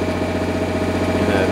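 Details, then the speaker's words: MEP 1040 military diesel generator carrying heater load on convenience outlet: steady even diesel drone with firm rhythmic beat, holds speed without surging as governor adjusts, a little smoke expected; normal running under load. "kept right up with it so it's doing exactly what it needs to do this is a great sign puffing a little bit of smoke but that's to be expected"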